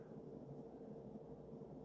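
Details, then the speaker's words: Early-mid 1980s Sears Emerson 52" ceiling fan with K-55 stack motor, on high after its nylon flywheel bushing was oiled: quiet steady hum with a faint, even high-pitched motor whine and no ticks or rubbing; running smoothly. "It makes that sort of high-pitched motor wind that I've noticed a lot of these have. Yeah, high RPMs, good performer."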